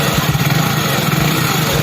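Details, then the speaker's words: Hero Splendor Plus BS6 fuel-injected motorcycle idling evenly after tappet adjustment: steady low putter, with the earlier engine noise gone and no ticking or knocking. "सिर्फ टेपेट set करने से जो हमारी back की आवाज थी engine sound engine के आवाज को बंद हो गई है"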